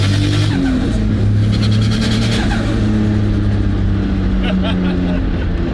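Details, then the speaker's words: RB20-swapped AU Falcon on E85 with an unfinished tune on the dyno, manifold and turbo setup in question; loud revving with rapid fluttering chatter off throttle for about two seconds, suspected compressor surge, turbo making more boost than the engine can take in. "the compressor surgery is the turbo is making too much boost for the motor to take in you too much response so the motor's not eating the air"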